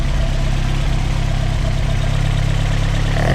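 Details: VW Mk2 Golf, hot engine restarted after previous hot-starting problems, fixed by replacing the starter with a Mk4 starter; engine already running at a steady low idle, no cranking drag or stumble; normal hot start.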